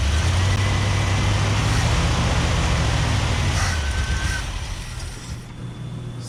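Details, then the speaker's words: 1978 Chevrolet C30 ramp truck, small-block Chevy V8 with HEI and Edelbrock, off the road about seven years, started at −4 degrees on a temporary fuel supply; steady, even low rumble with no knocks or misses; runs well. "it's got a little small block Chevy HDI Edelbrock just fires up Idols no noises"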